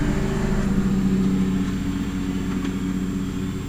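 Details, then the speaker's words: 1987 Carrier Round One 3-ton central air condenser with GE fan motor, starting during a thunderstorm: compressor hum and fan whir start, then cut out after about a second, cause unclear; condenser shuts off shortly after starting. "The hell? It was on for a second, then it shut off."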